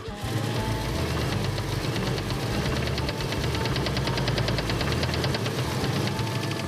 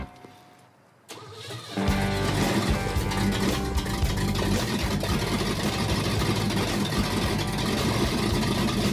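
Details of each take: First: Wagon engine running on old gas in tank: fast, steady metallic tapping keeping time with the engine, heavy deep knock worsening; rod knock suspected, engine considered blown, unconfirmed. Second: Bruiser Wagon V8 first start after engine swap with carburetor bowl filled: brief cranking, then a steady, lumpy idle with oil pressure; engine works but sounds like it needs timing work.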